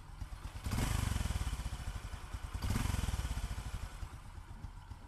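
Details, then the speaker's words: Fu Neo scooter engine, cold and not yet warmed up, idling with an even, steady thump and no ticking or clatter between beats; earlier when hot it clattered, now sounds healthy, normal idle. "bây giờ cái máy mình là cái máy nguội luôn đó máy này chưa nóng không có tiếng kêu nha"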